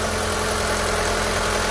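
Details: Ford Fiesta 1.6 Rocam engine at idle: loud steady idle with a rough mechanical clatter over the hum; abnormal engine noise, cause not yet identified.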